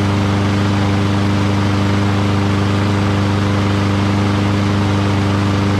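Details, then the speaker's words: Curbside Lawn-Boy rear-wheel-drive push mower, found water-flooded with a broken spark plug. After the carburetor was cleaned and fuel added, this is its first start: a steady, rapid exhaust beat at an even pitch with no stumbles or surging, running cleanly. "so how about that engine runs great doesn't it so smooth that's nice"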